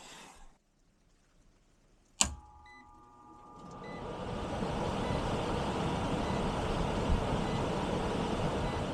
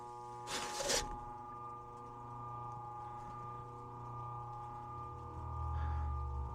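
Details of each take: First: Ancient heat pump air handler after blower capacitor replacement: sharp click, then blower spools up over a couple of seconds into a steady, even airy rush with no rattle or hum; door open so free-running, drawing 1.5 A of 2.63 A full load; normal. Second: Ancient heat pump air handler, outdoor unit running but no airflow in heat or cooling: steady low electrical hum with no rising whoosh of air; blower motor stalled due to failed capacitor, spins when tapped.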